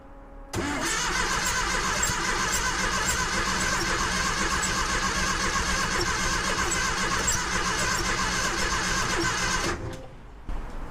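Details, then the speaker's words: Porsche 914, 2056cc on dual Weber carbs: about nine seconds of steady starter cranking with accelerator pressed and no firing; engine flooded, fuel smell at exhaust, two plugs found wet with fuel, to be removed, warmed and dried. "What might happen is that we end up flooding it, where we end up getting the plugs too wet."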